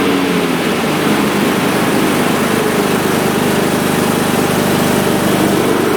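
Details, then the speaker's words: Troy-Bilt/MTD/Cub Cadet riding mower after deck repair and new belt 754-04060, deck left engaged: steady even engine drone with blades whirring, no knocks or squeals; runs smoothly under deck load. "Okay, I left it engaged. I just want to check the condition"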